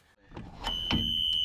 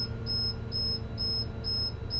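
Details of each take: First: School bus emergency exit door opened to the lock position during a pre-trip check: a steady high-pitched electronic tone starts suddenly and holds evenly; the emergency exit door alarm sounds as it should. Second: School bus pre-trip check, engine revved to 1500 rpm refilling air tank: even high beeps about twice a second, low air warning alarm sounding at 60 psi then cutting off; compressor continues to 110 psi.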